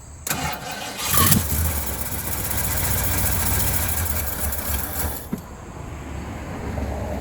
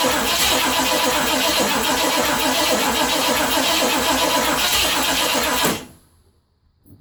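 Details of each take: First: 1980 Ford F100 carbureted engine after 29 years sitting, terminals cleaned, new air filter, radiator topped with water, bowl refilled and fresh gas in tank: cranks, catches, low uneven idle about five seconds, dies, restarts; engine running after long storage. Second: 1980 Ford F100 V8 that sat 29 years, with fresh gas and a little Marvel Mystery Oil poured into the carburetor vent to fill the bowl: it fires, runs rough but steady with an even beat for several seconds, then dies as it starves.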